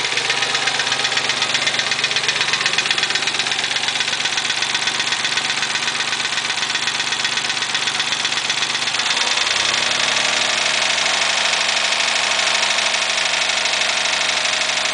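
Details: Nissan 300ZX at idle with loud, fast metallic ticking and rattle, described as pretty bad lifter tick; owner links it to oil changes, cause not confirmed.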